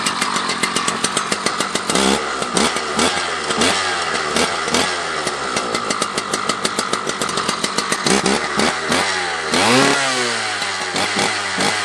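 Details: Husqvarna 281/288 chainsaw after a new ignition coil and fresh gas, decompression used for starting. Fires and runs with rapid crackling bursts, revs rising and falling as the throttle is blipped. Normal running.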